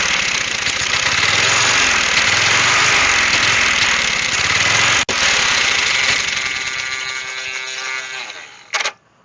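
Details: Old Snapper mower, 12.5 hp Briggs & Stratton single, revived after years sitting: catches and runs ragged at fast idle several seconds, then sags and quits, only running on primed fuel.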